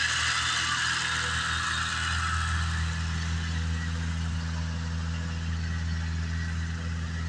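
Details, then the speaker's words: 1988 BMW 535i E28 (M30 engine) with new fuel system parts. Unplugging the coolant temperature sensor fakes −40°C, and idle jumps from about 700 to about 1550 rpm, holding steady and high; vacuum rises to about 21. "You can hear the RPMs jump immediately."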